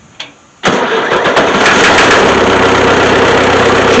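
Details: Ford-badged power unit using Long tractor parts, restarted hot about seven minutes after shutdown, after fixing leaking injectors; brief crank then catches at once into a steady, even run, no hesitation; normal hot restart without ether.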